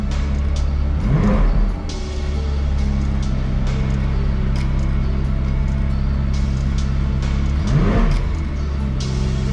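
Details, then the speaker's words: Damaged McLaren 540C salvage rebuild, first start after fitting the new passenger-side radiator and bleeding the coolant: a loud steady idle with two quick clean blips rising and falling smoothly, no knocks or misses; the engine is healthy. "Yes guys, the McLaren is back on and it sounds unreal. I don't know if you can hear me, it's so bloody loud."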